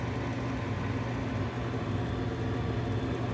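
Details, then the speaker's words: Old Goodman gas furnace on a service call: steady low hum from the draft inducer blower with no strong pitch, sounding sluggish and soft; the inducer motor does not sound healthy, cause unclear. "days flow motor don't sound real healthy"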